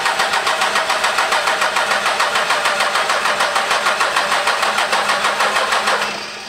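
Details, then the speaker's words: 12V Cummins diesel after reinstalling the P-pump, cranking in about 15-second intervals while fuel lines bleed: steady starter cranking about three turns a second that never catches. Crank no start, air in injection lines. "you got fuel coming you dude it's a process you'll get one then you'll get two then you get three and then all just start squirting fuel it won't fully fire until they all get peeled so give it a second"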